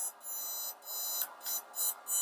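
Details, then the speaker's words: Desulfator pulse charger (auto-detect-volt model) at about 5 A on a small battery, 1 kHz pulse frequency: high-pitched electrical whine switching on and off about twice a second at the battery clamps; normal pulse-charging tone. "จะได้ยินเสียงความถี่ชัดเจนนะครับที่ปากคีบของแบตเตอรี่นะครับจะมีเสียงความถี่ลงไปที่แบตนะครับ"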